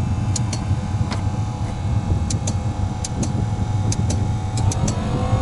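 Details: Low steady fan rumble with sharp ticks every second or so from the fuel pump: the ZAZ 968 Zaporozhets autonomous parking heater starting up normally on its first revival in winter, fan freed by hand beforehand.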